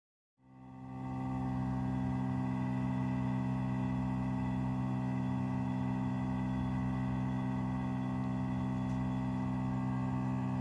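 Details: New Trane furnace heat pump line gives a constant low droning hum with slight buzz, unchanging in pitch and carried through the house structure. Line suspected of vibrating on a joist or band board.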